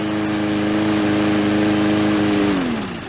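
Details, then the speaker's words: Murray 4-stroke lawnmower on first start with fresh oil and gas: steady, somewhat uneven buzz, then winds down after shutoff; probably stored tipped or overfilled, oil pooled in cylinder and fouled the plug; rough running from oil in cylinder. "A lot of times when these sit, people will have them sitting in a shed or something on an angle or overfilled with oil, and it builds up in the cylinder. When I took the plug out, it was quite foul."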